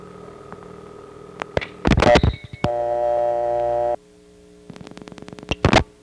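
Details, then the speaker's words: Bell System step-by-step central office reorder line with a stuck payphone, recorded in Worcester: steady line tones broken by erratic bursts of rapid clicks and stray coin chimes from the malfunctioning coin totalizer. "The totalizer, which among other things makes the coin sounds, was malfunctioning."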